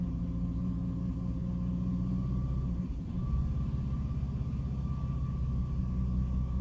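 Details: 2006 Jeep Liberty at idle with A/C off, low steady hum faltering about three seconds in, dipping and wavering before recovering; it randomly stumbles and nearly dies, cause unknown.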